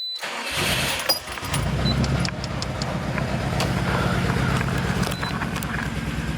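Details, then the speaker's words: Subaru STI first start after an engine replacement with TGV deletes: a short crank catches into a lumpy, wavering, stumbling idle. The owner suspects the ECU is confused by the TGV delete. Rough idle. "shaky well the idle is really off oh look at that guys anyways okay it's idling like horror"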